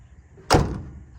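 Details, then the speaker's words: Scout in Arizona, sun-damaged but rust-free. One deep, dull thunk dying quickly, no rattle or tinny ring: solid, well-latched door closing. "I mean, look at this. This is the other thing. I mean, how solid of a door is that?"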